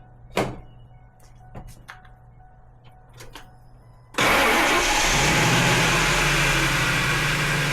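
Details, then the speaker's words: 1996 Ford F150 after replacing corroded 30-year-old battery cables that caused hard, slow cranking: a few clicks, then cranks faster and starts at once, settling into a strong, even run; normal cranking and start. "See how much faster it uh it cranked over and started."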